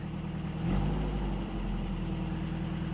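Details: Toyota pickup 22RE 4-cylinder after knock sensor replacement: brief blip, then smooth steady low idle with no knocking or stumbling; normal idle.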